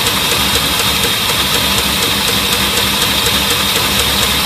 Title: Lifter tick and spinning pushrod